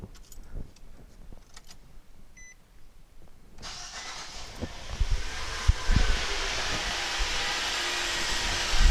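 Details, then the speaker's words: 2014 Nissan Sentra B17 after new serpentine belt and tensioner, belt very tight: a few clicks, then catches at about 3.5 seconds and settles into a steady, even run with no belt squeal; slight unfamiliar ticking noted afterward; normal start-up. "that sounded all right well everything looks good up top everything looks good down here"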